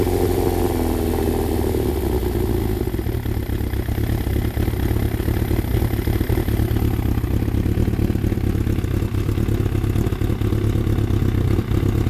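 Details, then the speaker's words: Freshly rebuilt Thunderace engine at initial start-up, oil double-checked, water leaks still present: it catches and settles into a steady, even tickover with light valvetrain chatter. No knocks or misses; normal idle. "I'm gonna try and start it again and just uh leave it ticking over a tiny bit"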